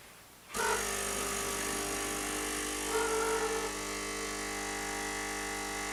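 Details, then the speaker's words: Bosch TES50129RW bean-to-cup coffee machine grinding beans for a coffee; steady fairly loud buzzing grind with even tone, no knocks or catches, a little loud but quieter than other machines; healthy grinder. "now as you can hear the grinding beans is a little loud what I would say is that personal experience is that it's not as loud as other machines"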